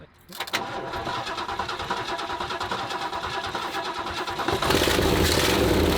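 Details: 1967 Lincoln Continental, abandoned for years, after a carburetor rebuild: engine catches after a short crank and settles into a steady, even run, picking up slightly toward the end with no misses; loud but running normally.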